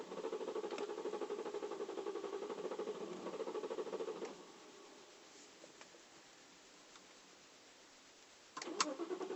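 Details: 2008 BMW 335i E93 N54 convertible, failing high-pressure fuel pump; cranks about three times a second for four seconds without catching, pauses, cranks again, hard start.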